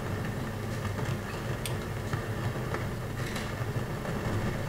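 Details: Pioneer SX-737 receiver phono stage, left channel very loud: steady rumbling roar with crackles and pops. Aux, AM/FM and tape are fine; the noise comes from leaky transistors that test good.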